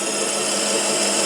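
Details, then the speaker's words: Schaublin lathe boring a hole larger for an oil seal on the Variator pulley, very long boring bar with tip set slightly above center; steady smooth cutting hiss with no squeal or ringing, cutting cleanly without chatter. "here is the boring going on as you can hear there is no chatter despite the very very long speak out"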